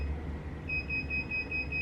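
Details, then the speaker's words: Sur-Ron Light Bee MX on a stand with KO factory-spec controller after firmware update: throttle twisted fully open while powering on, high-pitched controller beeps over low hum signal entry into throttle calibration mode. "And then I'm gonna, what they said to do is to twist the throttle all the way and turn the bike on. You'd hear 2 beeps,"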